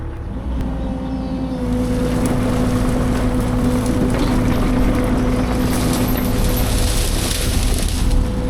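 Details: Fecon forestry mulcher after rebuild/overhaul, freshly greased, working through a test brush pile: steady even drone, constant low hum, no knocking or grinding; bearing temps cooling while breaking in; normal operation.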